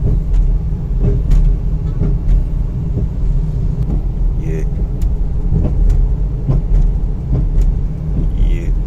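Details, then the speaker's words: 2012 Toyota Corolla, about 450,000 km, test drive over small bumps before suspension overhaul: dull, irregular knocks over steady road rumble at each bump; front suspension clunk from both front wheels, left side louder than right. "तो देखि गाड़ी में बहुत ज्यादा आवाज है suspension में"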